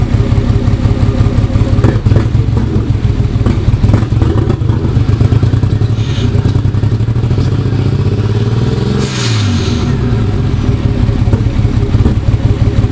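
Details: Nissan 240SX S13 with RB25DET swap: uneven, stumbling idle with irregular lumpy beat and a brief wavering rev; engine misfire, cause unknown.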